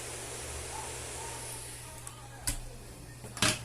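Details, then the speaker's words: 1963 Sharp BP301 germanium transistor radio, audio amplifier isolated, small speaker near microphone: steady airy hiss over low hum that increases as the 2SB75 driver transistor is warmed; the driver transistor is faulty and needs replacing. "Mas esse está com problema, porque ele está com chiado. Não sei se dá para ouvir. E assim que eu esquento o driver, o chiado aumenta."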